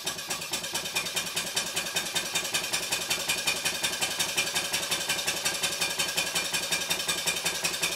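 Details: Stuart 5A or S50 model steam engine on the bench, run on compressed air from a Bambi BB50D compressor switched off before the run: even, crisp chuffs about 2.5 per second over hissing air exhaust. Normal, smooth running.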